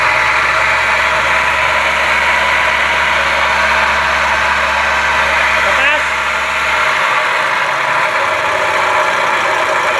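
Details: Toyota Calya/Sigra idling with a steady rough, gritty rush from the engine bay, which the customer complained of; inspection found the water pump faulty (worn bearing), fixed by replacing the water pump assembly.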